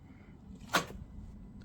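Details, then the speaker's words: Jaguar XJ Copart non-runner on axle stands, first start attempt after oil change: one dull click on the key, then nothing, engine not even trying to turn; seized engine, no crank. "unfortunately it looks like we've got a seized engine on this one and that is probably realistically going to be the end of the road for"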